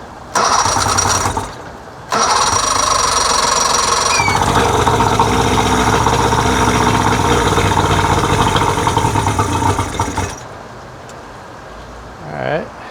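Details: 1999 Johnson 70 hp two-stroke outboard with air box off. With air mixture screws at about 2.5 turns, two long cranking bursts give ragged firing that never catches. Hard starting.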